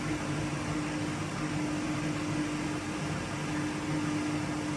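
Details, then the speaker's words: Washing machine after drum bearing set replacement, spinning up to full speed: steady even rush with smooth motor hum, the earlier rumbling drone gone, sound now from the motor only; machine back to its original sound. "Şu an gelen ses motordan geliyor Az önceki gibi gurur diye ses gelmiyor artık makinamız orjinal sesine döndü"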